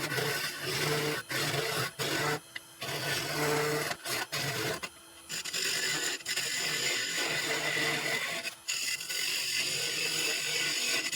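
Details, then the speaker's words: Gnarly maple bowl blank held in a small chuck on the lathe, very short tool rest, hollowing about halfway deep with very light cuts; buzzing hum underneath from workpiece vibration (chatter) during deep hollowing. "Now you can hear the vibrations of the piece sitting just in a small truck. This is a very short rest here, and I'm probably about halfway deep now."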